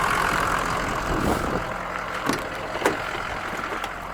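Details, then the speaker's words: 6.0 diesel work truck, standpipes replaced October 2020, revved: the engine spins up and settles back smoothly with an even clatter and no knocks or misses; it sounds good. "give it a good one let's do one more that's all i'm gonna do it sounds good though"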